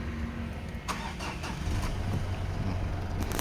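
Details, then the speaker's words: Mitsubishi Pajero Sport automatic diesel with P2146 injector circuit fault and lack of power, started after repair with the battery reconnected. Short crank, then it catches and settles into a steady, even idle with no misses or knocks. Pump and injector learning follows. "นี้ก็คือสตาร์ทติดแล้วนะครับพอมันติดแล้วก็ถ้าติดแล้วนะครับ"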